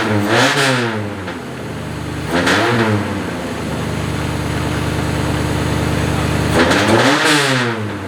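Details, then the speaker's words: Honda K24 swapped into a CR-Z, running a FuelTech FT450 ECU on a converted K20 harness, first start-up: several sharp revs, then a loud, steady idle well above normal; the idle setting needs turning down. "Yeah, it's hard to tell. It's really loud. Yeah, we need to turn the idle down."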